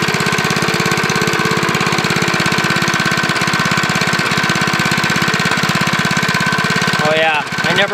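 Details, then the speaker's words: Briggs & Stratton lawnmower engine with the crankshaft connecting rod journal ground down and rebuilt with JB Weld, test run: fast single-cylinder idle with a faint light tap, maybe early rod knock; cause suspected, not confirmed. "sounds like little rock rock there"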